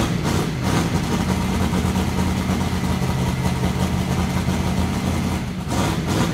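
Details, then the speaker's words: XC Falcon ute's methanol-carburetted twin-turbo 351 Cleveland V8 with newly fitted Haltech VMS, running in a closed shed; loud, lumpy but steady big-cam beat holding an even idle without misses or knocks; normal running. "spicy sounds good eh sounds like a methanol carburetted twin turbo v8 so yeah good"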